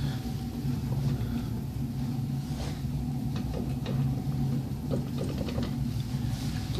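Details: Car wheel with a steady low droning hum and faint scattered clicks; badly worn wheel bearing, described as near failing and needing replacement.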